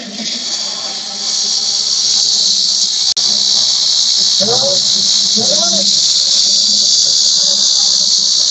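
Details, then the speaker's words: Under high acceleration or revving, a loud metallic hiss and whistle comes from the engine side around the turbo and swells with revs. The turbo wastegate actuator isn't getting vacuum because its control solenoid is faulty. "जब भी high acceleration देता है तो उस condition में गाड़ी से engine के साइड से मेटलिक नॉज स करके एक आवाज आ रहा है"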